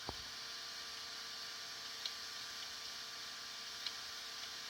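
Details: Hitachi HDS5C1010CLA382 hard drive: over a soft electrical hum, a faint sharp tick repeats about every two seconds; typical failing-drive clicking, possible head crash suspected, not confirmed.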